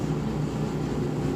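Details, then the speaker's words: Samsung dryer running after a new blower wheel was fitted: a constant low hum with a buzzing high-speed vibration and no banging. The vibration is suspected to come from the motor; the motor was not replaced. "it's a high speed vibration so it's coming from the motor definitely so I'm just going to live with this one for now now but uh yeah blower wheels are very very common to make noise"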